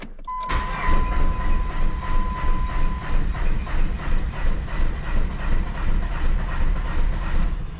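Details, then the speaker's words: 1995 Plymouth Neon, low mileage, long stored: slow cranking about three pulses a second with uneven weak firing, never catches, puffing rust from the exhaust; owner suspects one cylinder firing, old junky gas and gummed-up injectors; crank, no start. "She's like firing on one cylinder, you could totally tell."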